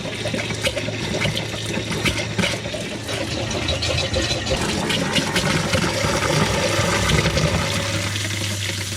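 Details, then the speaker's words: RV plumbing after replacing leaking valve near the hot water tank, large tank refilled and air purged: steady full rush of water at the tap with no spitting or sputtering; solid stream, system then pressurized with no leaks so far. "All right, so nice solid stream of water."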